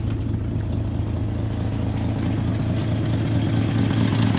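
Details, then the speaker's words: C30 engine idling after timing was set, slightly choked and warming up after a flooded restart, with no cooling system connected yet: even, steady low rumble with a smooth regular beat and no knocks or misses; idling cleanly. "give her just a little bit of Choke string her up just a little and I think we're good"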